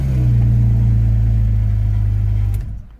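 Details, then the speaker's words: 2001 Porsche 911 Carrera 2 (315 hp) with intermittent no-crank fault, battery recently charged, codes cleared: cranks, starts and runs with steady, even low drone, no misses or knocks, then shuts off cleanly; normal start and run. "it's cranking now and it started okay it's running okay"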